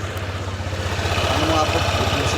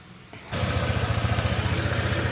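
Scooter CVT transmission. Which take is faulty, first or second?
second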